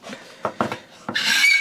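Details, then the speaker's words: Stanley 12 1/2 scraper plane in use, head tilted too aggressive. A few scraping strokes, then a sharp sustained high-pitched squeal from the blade contacting the wood, taking a very thick shaving. "Now, you can hear that that's making contact and it's squealing, and that's the actual scraper blade squealing."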